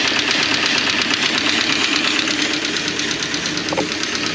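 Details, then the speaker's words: Jeep with Renix engine: idle carries a steady ticking beat near three per second over busy top-end clatter with slight uneven stumble; small miss, front cylinder now firing, cause not confirmed. "Sounds like it's just got a small miss. It is running on the front cylinder now."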